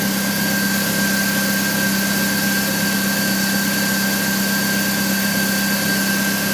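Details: 1999 BMW E46 316i, M43 engine, morning cold start: steady idle with a thin metallic ring over the engine note lasting 2-3 minutes then disappearing; source not found.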